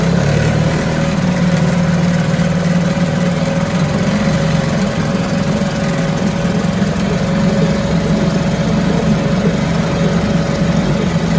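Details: 1974 US-made Mercury 4 hp single-cylinder two-stroke outboard, revived after long storage, running after reassembly: steady buzzing drone holding even speed with no misses or surges, runs like a top; normal running.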